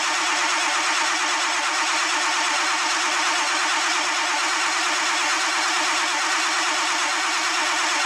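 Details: Old tow truck with 16 quarts of oil, oil pressure showing on gauge: steady even cranking drone with no catch or pitch change, engine turns over but never fires; fuel delivery being checked.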